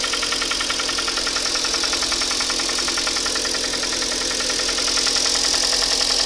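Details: Hyundai ix35 engine, 64,000 km, Shell 5W-30 changed every 7,500 km, cylinders 2-4 scored and replaced under warranty: quick, even metallic ticking at idle over a hissy engine note; piston slap from scored cylinders.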